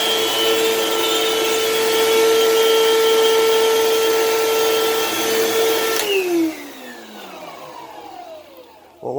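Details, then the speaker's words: Thrift-store vacuum cleaner run with the hose off: loud, steady high whine that drops away as the motor spins down, with faint squeaking and creaking; motor and housing need work. "thing's for sure is that this machine is very loud and clearly needs some motor work done as well as some housing work as well since you can kind of hear that kind of squeaking creaking noise"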